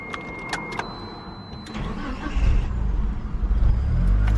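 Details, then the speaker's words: Galant VR4 hot restart after warm-up until the coolant fan cycled, shut off briefly: keys rattle, brief cranking, then the warm engine catches and rumbles. A little trouble starting but much better than before; old coolant temp sensor slightly out of spec, cause unconfirmed. "Okay, it has a little trouble starting, but it's a lot better than before."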